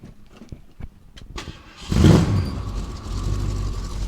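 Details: 1967 Ford Mustang V8, engine freshly reassembled with timing set and carburetor re-dialed, started to move into the garage: starter cranks briefly, engine catches with a loud burst and settles to a steady, even idle; normal start.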